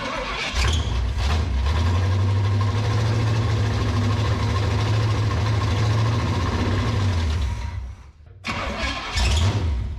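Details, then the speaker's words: Abandoned 1967 Pontiac Firebird V8, sitting decades, fed fuel from a squeeze bottle: rumbles unevenly, sags and dies, then coughs back; stumbling, suspected lean air-fuel mix from squeeze-bottle fueling. "well she's trying to run uh I think our air to fuel mix ratio it's kind of hard to get with the squeeze bottle"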